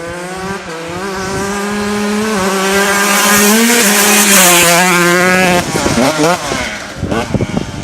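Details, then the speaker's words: Stock-engine 2002 Honda CR125 two-stroke dirt bike, 17 years old, ridden under load on its first ride with a badly stretched chain; crisp ringing note climbs cleanly through the revs, then chops off on the throttle; pulls strong, healthy. "How'd that sound? Pretty good. Yeah. It's running alright."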